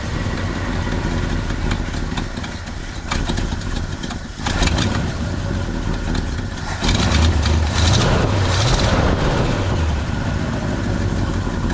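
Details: 1972 Ford pickup with 360 V8 after fuel pump replacement: fires and runs with a steady low burble, a brief throttle blip midway, no misses or knocks; running normally, new pump not leaking.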